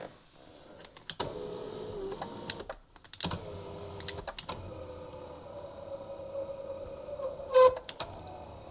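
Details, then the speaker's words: Maserati GranTurismo power seat after battery reconnect: electric motor hums steadily in short runs between clicks, a bit strained and noisy, seat lifts; power seat motor working. "Juu pikkuisen tuota äänekäs äänekäs oli kyllä penkki siinä, mutta se toimintakä toimii."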